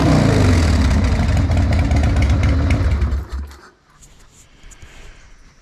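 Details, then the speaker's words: Harley-Davidson Sportster XLH built 15 years ago, back after years off the road, started after replacing the rear brake switch and fuel line: loud, lumpy V-twin idle for about three seconds, then shut off, sounding healthy. "so even after a build of 15 years ago this thing still sounds awesome"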